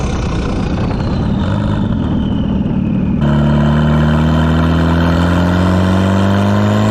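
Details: Station wagon with newly fitted GMC Typhoon/Syclone turbo, boost controller turned up: pulls hard under boost, then the note abruptly changes and steadies as the ECU cuts fuel; boost fuel cut under acceleration.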